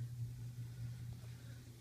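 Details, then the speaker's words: Neighbor's well system with suspected bladder tank or valve fault and pressure gauge at zero; faint steady low drone through the clip, well pump running and judged good. "I hear the well running so the well pump is good definitely can hear it"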